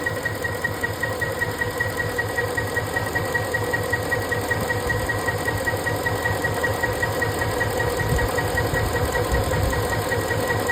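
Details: Ford 5.4 3V V8 idling steadily with an even pulse and light regular injector tick, no misfire stumble, after cylinder 7 injector was unplugged, slightly rotated and reconnected while chasing a misfire.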